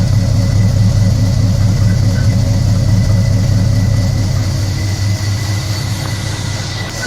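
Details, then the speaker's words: 1974 Nova with a big-block 7.4L 454 V8, over 37,000 miles, carbureted at 58 psi fuel with Edelbrock ignition control, on its last run before removal: deep, even rumble with no ticks or knocks; normal idle, nothing wrong. "see so working very well absolutely nothing is wrong with you"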